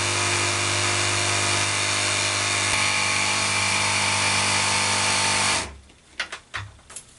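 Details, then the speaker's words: Faulty boat water pump (removed from boat) on test jig with accumulator at about 10–10.5 V, not self-priming: harsh buzzing rattle at steady pitch, then stops with clicks; reaches only about 1 bar versus expected 1.7 bar, pump weak. "Doesn't sound good, and it's just getting up to 1 bar in a bit. And this should be about the same 1.7 bar"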